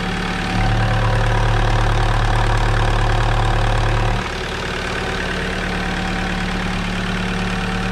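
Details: Alfa Romeo 156 JTD engine idling with a light, regular ticking clatter, about three a second; valvetrain chattering on worn cam lobes.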